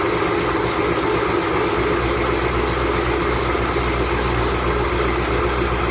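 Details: 2008 Bullitt Mustang, 8-rib serpentine belt, cold idle the morning after sitting overnight in the garage, under 30 miles driven: a high chirping squeal pulses about twice a second, a slipping serpentine belt.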